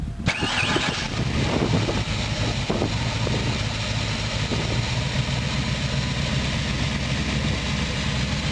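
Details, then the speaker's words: Ford 427W V8 with Fast Easy EFI, external high-pressure fuel pump and Tremec TKO 600: fuel pump primes about 3 seconds, brief crank, then catches into a deep even steady idle with no knocks or misses; normal start and idle. "So first thing you're gonna hear is the fuel pump going for about 3 seconds to build pressure in the system. And there we go."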